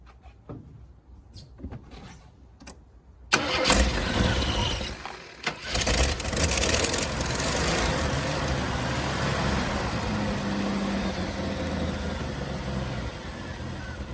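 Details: 1988 Jeep Wrangler YJ, 4.2L AMC 258 straight-six with Carter BBD carb and a faulty choke, first start after new plugs, wires, cap and rotor (it had been running on two cylinders): starter catches, fires straight away, settles to a steady, even idle.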